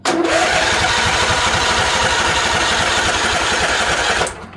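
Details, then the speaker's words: Labored cranking at about four compression pulses a second sags and dies within four seconds, from a discharged, possibly corroded 12-volt battery too weak to turn the starter, before a jump pack is used. "And you can hear it kind of winding down. The battery is almost dead."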